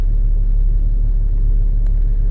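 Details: Chrysler vehicle, towed in with a broken belt, after belt replacement: low, even idle rumble with no ticks, squeals or belt chirp; normal idle, later road test fine with no overheating.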